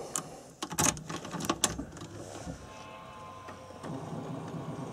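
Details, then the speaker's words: BMW E36 turbo drift car, first restart after reconnecting a disconnected fuel line: a few clicks, then a faint steady electric hum from the rear fuel pump priming normally with key on. "Donc on entend bien la pompe à carburant à l'arrière."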